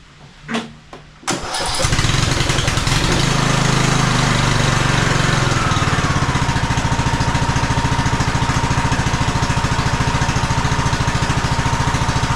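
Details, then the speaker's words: 2015 Craftsman T2200 riding mower, 19 hp Briggs & Stratton single-cylinder, on a battery jumper with choke, oil low: a few starter clicks, then it catches at once and settles into a steady, even idle, a normal start. "Not bad at all. Started right up. So I don't think we'll have any engine trouble."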